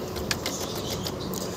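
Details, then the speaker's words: TVS Apache RTR 160 4V, starter button pressed: only a few faint sharp clicks with no cranking and no start; possible causes given as a dead battery or a faulty starter relay. "இது மாதிரிதான் வந்து பாத்தீங்கன்னா self அடிக்கும் போது பாத்தீங்கன்னா இந்த மாதிரி sound வந்து வருது ஆனா வண்டி வந்து பாத்தீங்கன்னா ஸ்டார்ட் ஆகல"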